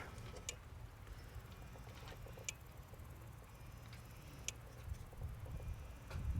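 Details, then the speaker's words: 2004 Audi A4 3.0 V6 TDI, intermittent loss of power on acceleration, actuator test: sharp regular clicks about every two seconds from the fuel metering valve near the fuel line; valve cycling normally. "valve for fuel metering so it'll be somewhere about this area in the fuel line"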